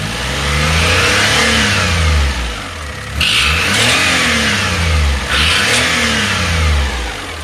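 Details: 2005 (H17) Daihatsu Atrai Wagon Custom Turbo R S320G, 170,000+ km: sharp hissing puff swelling with every rev; noise fades once warm after 30 minutes' driving, returns after restart. Exhaust manifold leak from broken manifold bolt; fixed after repair.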